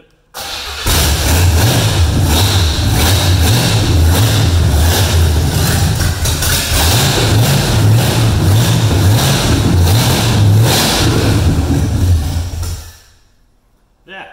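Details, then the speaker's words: Revived junkyard engine with open headers, unknown timing and no vacuum advance hooked up: catches within a second, then a loud, choppy open-header rumble holds steady for about twelve seconds before shutoff; runs fine. "oh fancy that's open headers i wasn't expecting that"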